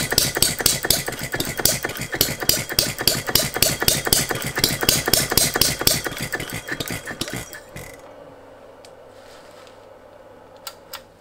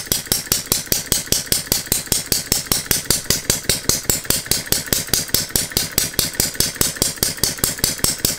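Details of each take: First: Philip Duclos Odds n Ends hit-and-miss model engine: sharp rapid firing about three a second that never picks up speed before dying away. The governor is latching and capping speed, so the owner then restricted it. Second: Philip Duclos Odds n Ends hit-and-miss model engine running on a Viton-ring piston after the cast iron rings failed to seal, with the governor disabled: crisp, even bark about five beats a second with no misses. It runs well, though the governor needs stronger springs.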